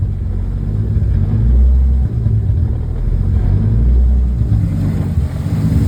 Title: M52 (Turbo) Rough Idle after ECU (Link G4X) firmware update